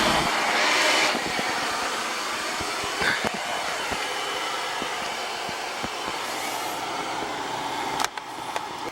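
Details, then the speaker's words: Carlin oil burner on a flood-soaked Bock oil-fired water heater: steady even roar with light crackle and hiss as steam clears out of the wet unit. The burner now stays on, running normally. "It should stay on. Full of water. Look at the steam coming out of that baby. Full of water. Gotta let it run."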